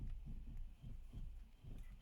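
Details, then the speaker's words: Ford Fiesta after the steering intermediate shaft was refitted with its cross bolt and tightened, fixing a knocking noise: turning the wheel gives only soft low thumps and no knock or clunk, so the steering is quiet. "and you can barely hear anything. So in my opinion, job is done."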